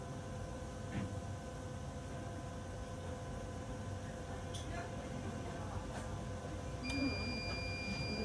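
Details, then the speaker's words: Orthophos S11 dental X-ray unit during its constancy test exposure, button held: low steady machine hum, then three beeps as the test completes; it operates normally, four green lights after. "once you hear the three beeps the constancy test is complete and we'll wait for it to acquire and reconstruct"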